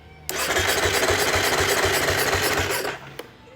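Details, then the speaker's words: Beta dirt bike with electric starter cranks steadily at about four pulses a second for nearly three seconds but won't start; dirt found past the intake, owner suspects fuel pump not running. "uh the other thing is I don't think I don't think I hear the fuel pump running"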